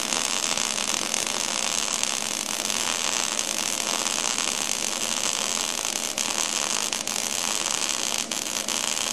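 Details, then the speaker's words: MIG wire-feed welding demonstration with shielding gas on, zigzag weave technique holding about 1/8 inch gap: even steady crackling sizzle without pops or sputter; stable arc laying a good smooth weld. "there you go. A little wiggle action, you get a good smooth weld."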